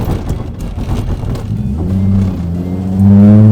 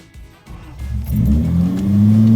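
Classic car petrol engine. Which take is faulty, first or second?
second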